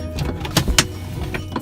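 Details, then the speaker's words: BMW E46 passenger window, glass stuck closed: motor whirs in short bursts with sharp crackling snaps and gear clicks while the glass stays stuck; failing window regulator, its cable tangled or off the pulleys, not the motor. "it kind of has a mind of its own but you could hear it kind of crackling and you could hear the wiring and the gears gears actually right over there you could hear just kind of you know stuck and all not working for us"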